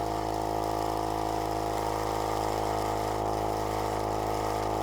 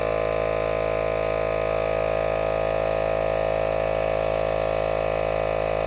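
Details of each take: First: Cheap tyre inflator sold as most powerful in its class, inflating a tyre from about 19. Steady fast buzzing drone with a rough, loose rattle at about three beats a second, "like a bag of nails"; cause unknown. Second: ARB portable air compressor in a tyre-inflator comparison, inflating a tyre toward 33. Steady, even motor-and-piston drone at constant pitch with no knocks or rattles; performed well.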